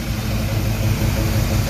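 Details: 1979 Chevy C20 truck freshly rebuilt V8 during cam break-in, run 30 minutes at 2,000 rpm, timing set: steady, even drone at fast idle with no knocks or misses; normal fast idle.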